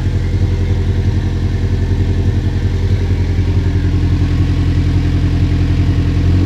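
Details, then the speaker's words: Subaru-swapped VW Beetle with twin-scroll turbo, running after the swap: a deep, lumpy, steady exhaust burble unlike a typical Subaru, which the owner puts down to the twin-scroll turbo setup; normal running. "so sounds pretty mean it sounds really different from what I've ever heard a subaru sound like it's probably due to the twin-scroll turbo setup"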